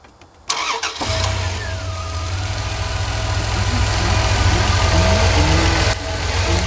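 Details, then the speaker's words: 1999 Dodge van after tune-up with new spark plugs, started cold after previously missing and vibrating: cranks, catches and settles into steady even idle with no stumble; now firing on all cylinders. "say that thing sounds a whole lot better [Music] sounds like she's firing on all cylinders"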